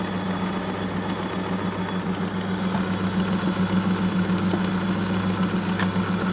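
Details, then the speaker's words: 1962 Sony TC-521 reel-to-reel after motor lubrication and control cleaning, playing forward: constant low hum and rough rumbling whir, noisy drive though playback works; worn idler wheel noise. "that's forward I know it's kind of noisy can't do anything about it so that seems to be working now"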